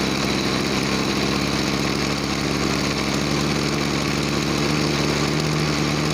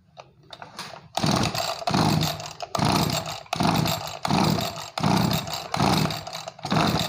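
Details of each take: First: Small two-stroke agricultural sprayer engine, formerly bogging with no power on throttle, after carburetor cleaning and air/fuel screw adjustment: high buzzy drone holding steady revs without bogging or stumbling; normal running. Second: Small two-stroke agricultural sprayer engine that bogged and lacked power on throttle, carburetor cleaned, air/fuel screw being turned: surges and sags unevenly, burbling and fluffy; mixture too rich, screw turned back.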